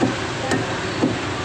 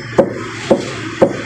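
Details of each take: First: Mitsubishi Outlander EPS steering rack after repair of worn, loose left rack bushing: three firm dull taps on the rack with solid sound, no dry tinny rattling knock as before; bushing now tight. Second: Mitsubishi Outlander EPS steering rack, wheels turned full right, left-side rack tapped by hand: four loose, hollow knocks showing the rack bushing is worn and loose on the rack shaft.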